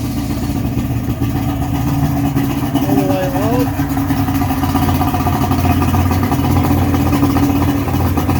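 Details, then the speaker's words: 55 hp Johnson two-stroke outboard, submerged after its boat fell from its mooring, idles with a steady, even burble and no surging after carb air-fuel adjustment; no fuel leaking from the carbs, seemingly running on all cylinders. "i would say that sounds pretty awesome pretty good i'm pretty happy with that we got no fuel pissing out of the carbs"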